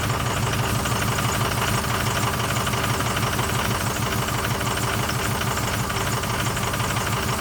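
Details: 2006 Ford F350 6.0L Power Stroke diesel, parked 2 years, after new fuel pump: steady idle with lumpy irregular beat under the clatter; rough idle, owner suspects air bubble/vapor lock in fuel, not confirmed.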